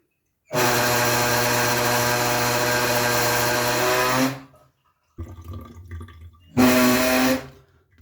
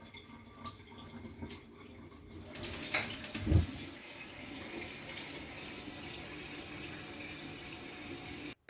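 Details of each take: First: Gas tankless water heater gives a loud, steady buzzing hum with a rattling edge when the hot tap is opened slightly; cause is a worn, dripping faucet cartridge, to be replaced. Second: Gas water heater after replacing the old mixer tap: brief clatter as tap opens, then smooth steady water hiss, no whistle, rattle or hum from the heater; normal operation.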